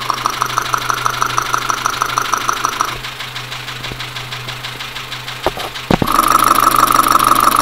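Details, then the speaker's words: Dacia Sandero, Renault D4F 1.2 petrol, recorded via stethoscope at idle: steady sharp knock about three per second through the block; loud engine knocking, owner suspects low oil and possibly a spun bearing, unconfirmed. "so we've hooked up a recorder now put the headphones on and we'll see if we can get a recording of this engine knocking sound so here we go"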